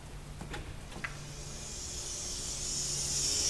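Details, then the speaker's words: Refrigerator/freezer sealed-system recover and recharge: compressor switched on with low side closed to pump air out before weighing in 7 ounces of refrigerant; a few clicks then a steady rising hiss of air discharging, normal pump-down. "You can hear the air coming out of there."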